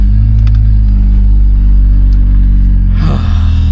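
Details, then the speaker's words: Honda Civic EJ9 after a spare gearbox swap, cat still fitted, exhaust catching somewhere: steady low engine drone while reversing, no whine or grinding; the previous horrific reverse noise (straight-cut reverse gears, car possibly unloaded) is gone. "Right. So, well, it goes backwards without an issue. And I just noticed that noise, the horrific noise it was making in reverse seems to have gone."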